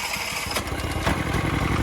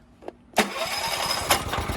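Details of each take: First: Mitsubishi MGE 4000 generator, sat for years, after carburetor cleaning and fresh gasoline, choke off with auto idle on: steady, even single-cylinder putter with no sputtering, holding speed; about 100 volts output. Normal running. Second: Mitsubishi MGE 4000 generator sat a few years, only runs on choke, auto idle off, before carburetor cleaning: catches and runs with an uneven stumbling beat about four pulses a second, then sputters out; dirty carburetor and stale fuel.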